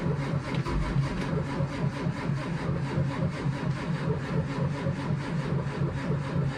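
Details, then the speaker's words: School bus diesel at 23°F, one of two (2011 Thomas C2 with 6.7L Cummins ISB 220HP or 2004 Blue Bird Vision with 7.2L Cat C7), plugged in earlier: steady rhythmic cranking, no start, battery seemingly going dead, smoke from tailpipe. "It actually sounded like it was gonna start, but as soon as it turned over the engine and pushed the warm oil out, sucked the cold oil in, straight back to not wanting to start. Sounds like she's starting to go dead, but it is smoking out the tailpipe."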